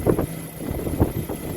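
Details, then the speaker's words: Car engine with previously knocking hydraulic lifters, cold start after an engine flush, new synthetic 40-grade oil and filter, and six hours standing: steady idle with a soft, uneven low chug and no top-end ticking. Normal idle, lifters quiet. "что пробуем заводить какой вид можешь слышать никаких стуков посторонних ничего не"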